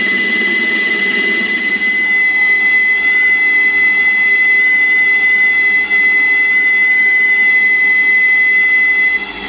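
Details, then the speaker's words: Lathe at about 450 rpm roughing out a Stuart Models S50 cylinder bore with aggressive power feed: loud steady high-pitched whine over the cutting noise from the power feed motor, which owner plans to replace with a NEMA 23 motor. "that noise you can hear is the power feed so yeah it's quite an aggressive feed but i am roughing"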